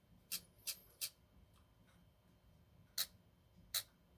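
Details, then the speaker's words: Ford EEC-IV distributor rotor button shaken by hand: five light, sharp clicks at irregular spacing over four seconds; a loose connection or contact plate rattles inside the rotor, which should not make noise. "why do rotor buttons make that noise? This is for a Ford, but it shouldn't make that noise unless there's a loose connection."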